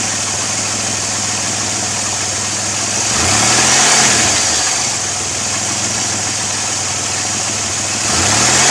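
The V6 idles under a loud, steady hiss that stays on through the slight rev swells; that's air being sucked through a vacuum leak.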